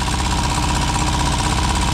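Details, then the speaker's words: Four-cylinder car first run after sitting nearly 40 years, little smoke: lumpy, uneven chuff with a beat dropping now and then, occasionally firing on three; owner suspects rings and valves still recovering. "I think it's it sounds like it's firing on three occasionally for maybe that's just the Rings and the valves coming back to"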